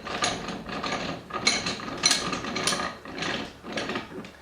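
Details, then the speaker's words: Littlestown No. 400 bench vise with a dry lead screw, owner thinks it needs oil: bursts of rapid ratchety clicking about every half second while the jaws are cranked, a chattering lead screw, cause not confirmed. "It does this weird kind of chattering thing when you crank it open."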